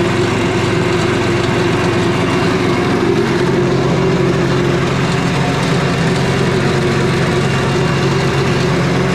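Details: Four-stroke petrol generator engine after fitting a new spark plug: steady even drone with no misses or knocks and constant pitch, running smoothly though smoking slightly, possibly too much oil.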